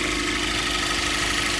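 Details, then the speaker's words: 2014 Cadillac ATS turbo direct-injection engine at idle with AC off after installing a new vacuum pump: smooth even idle, only light high-pressure injector tick, no loud ticking or roughness as before. "But you don't hear the other part. [Music] And it runs really smooth now."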